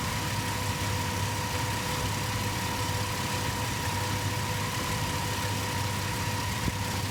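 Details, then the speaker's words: 2004 Ford Explorer 4.0L V6 with newly installed, suspected defective Bosch alternator; thin steady high whine over smooth idle while hazards and high beams load the system and headlights dim with each flash; alternator whine. "i mean it's clear as day you can see the headlights and the high beams dimming every time the four ways turn off and you can kind of even hear it in the alternator"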